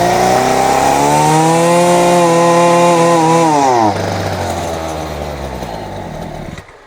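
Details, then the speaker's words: Champion 23cc string trimmer, running on fuel dribbled into the intake: revs to a high, steady buzz, sags suddenly, then winds down and quits within seconds. Apparent fuel starvation; someone tampered with the carburetor. "So if he starts right away does it cut well probably and then it dies. That is bizarre. Just randomly dies and then then it won't start again."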